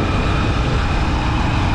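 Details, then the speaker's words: Honda Supremo 150 motorcycle running with a steady, even, quiet hum and no scraping, after a front-brake noise first blamed on the chain was traced to a sticking front brake and cleared; normal running. "Oh, nawala, di ba? Sabi mo kadena yun. Akala ko nga sa kadena kasi syempre parang same lang tunog sa kadena. Wala nga eh. Oh, wala nga. Wala nga. Oh, di ba? Tahimik na?"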